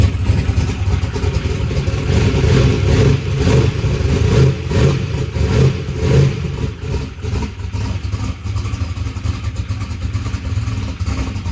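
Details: Drag race car engine after a huge backfire locked it up, with a new fuel pump fitted and a missing tooth on the flex plate: a loud, deep V8 runs with a steady lumpy beat and throttle blips, no knocking. It starts and runs fine.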